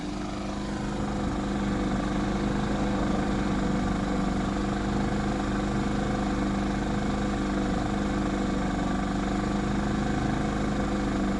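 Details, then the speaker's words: Inverter generator with hard-start kit, heard from a distance with the exhaust pointed away, in economy mode at lower rpm: quiet, even hum with no surging, hunting or rattles; traffic likely louder; normal running. "and this is the best part on economy mode it gets even quieter I think the traffic is going to be louder than that is"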